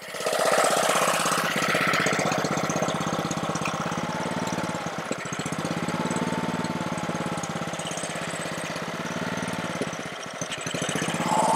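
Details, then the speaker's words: Honda-powered Ryobi 3100 PSI pressure washer, single-cylinder engine that wouldn't stay running: uneven, slightly surging chug at low speed that keeps running only on choke; owner suspects a carburetor issue, not yet confirmed. "yeah so this thing oops seems to be running on with the choke so you definitely know we have a carburetor issue for sure"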